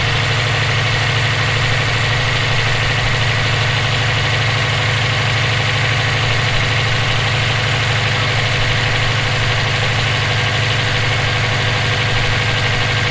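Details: EJ257 engine knocking at idle for about 17k miles since purchase; light, regular knock, roughly three per second. Owner suspects rod knock, spun bearing or valve lash needing adjustment; unconfirmed.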